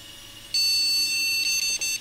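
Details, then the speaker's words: Retro flea-market PC powered on with an ATI graphics card: one long, steady high beep of about 1.5 seconds with no video; the POST beep code shows the board rejecting the graphics card. "no it doesn't like this graphics card it does not like this graphics card"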